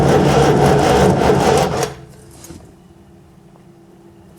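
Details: Scimitar under restoration, first start attempt after fitting the exhaust and battery and cleaning the plugs. The starter turns the engine with an even chugging beat, about three per second, under two seconds, and it never fires; the coil later shows 12 volts: cranks, no start.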